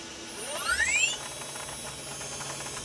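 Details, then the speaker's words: JGL ATC spindle warming up: squeal climbing quickly in pitch then a steady high hiss, unchanged with RPM; abnormal spindle noise of unknown cause. "The sound doesn't change with the RPM. 5, 4, no change."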